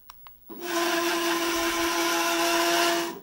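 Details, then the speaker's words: Workbee 1050 CNC Y-axis gives two light clicks, then a motor whine under harsh gritty grinding, only in one direction and one section of travel; oil on the dry lead screws cured it. "when you when I scroll the y-axis this direction it makes horrible noise hmm clue seems to be that it's only in that particular portion of it's really obnoxious"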